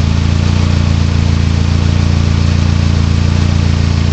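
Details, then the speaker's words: Deep even engine drone with steady thump about 3.5 times a second; owner suspects a noise from the bellhousing, possibly something rattling loose; driveline noise. "suspicious sound coming out of the bellhousing I think I think I know"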